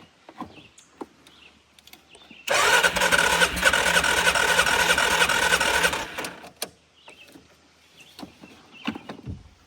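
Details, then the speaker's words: ATV, plug sparking, carb cleaner used in place of starting fluid: steady cranking about three turns a second for three and a half seconds with no firing, though it seemed to try. "Maybe it doesn't like the carb cleaner. I don't have regular starting fluid, unfortunately. I did hear it try to go, but Oh, yeah."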